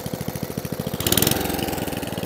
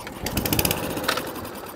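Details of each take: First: 2003 Atco Balmoral 14 ES electric-start cylinder mower with a Tecumseh engine running with a steady single-cylinder beat and no misses; it runs nice but needs new belts. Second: Atco Balmoral cylinder lawnmower engine on the bench, after flooding its non-Tillotson carburettor: a few quick pops as it catches for half a second, then fades and dies; carburettor fuel starvation.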